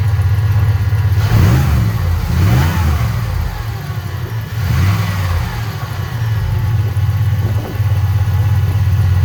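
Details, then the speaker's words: 2006-09 Chevrolet Impala SS, LS4 V8, after replacing the old Denso alternator and reconnecting the battery: engine starts and settles into a deep idle with a few light throttle blips; runs fine, charging not yet confirmed. "We'll go ahead and reconnect our battery here, and we'll fire it up, and we'll get a readout on it, see if it's charging."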